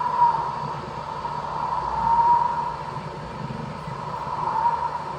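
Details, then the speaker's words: 3D printer printing a cone-shaped attachment for cleaning intake valves: steady high whistle near 1 kHz over the printer hum, swelling and fading. The nozzle cooling fan's airflow is blowing into the printed cone. "И поток воздуха из вентилятора попадает в нашу воронку и свист такой стоит."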